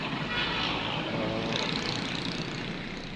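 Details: Mira automatic after transmission replacement, heard from inside the car: even, steady hum with no knocks or clunks over a rushing background; the earlier torque converter/transmission noise is gone and it runs normally.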